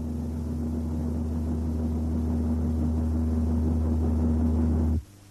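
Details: Toyota in a road test: steady low droning hum with fixed tone over road rumble, starting at 80 km/h and peaking at 90 km/h, tied to vehicle speed rather than engine or gearbox; propeller shaft imbalance.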